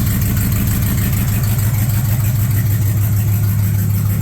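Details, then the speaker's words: 1986 Chevy Suburban with LS V8 swap, just after fuel tank install, no leaks: steady, even low rumble at idle with no misses, knocks or ticks; idling smoothly and healthy. "oh girl sounds good"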